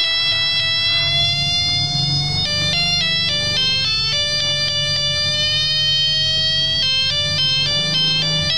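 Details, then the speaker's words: Melody wall clock with a broken movement, hands turned by hand so the clock triggers the melody box: clear electronic tune note by note at even volume over a faint low hum. Plays at the set time, then stops; hourly melody normal. "Jadi ini ketika saya hubungkan seperti ini, ketika jam berputar dan terus berputar, ini saya putar karena memang mesinnya rusak nanti akan berbunyi. Waktunya berbunyi, dia berbunyi, waktunya berhenti."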